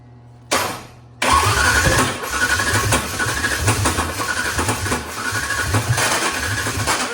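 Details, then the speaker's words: 1993–2006 Ford Ranger with swapped Taurus 3.0 engine: slow labored cranking, starter dragging, never catches; fuel pump running and getting fuel, cause unknown. "Oh. That starter's having a heck of a time."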